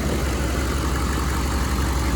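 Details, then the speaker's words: 1995 GMC 3500 HD 6.5L turbo diesel, hot, after injection pump replacement and timing: deep, even idle clatter, no lope or hunting; previously a weird idle, now sounds exactly like a typical 6.5 should. Normal idle, no check engine light, good hot oil pressure. "I think I mentioned in the part one video it just had a weird idle to it unlike any other six five I heard this one sounds very typical for a 6'5 exactly what it's supposed to sound like"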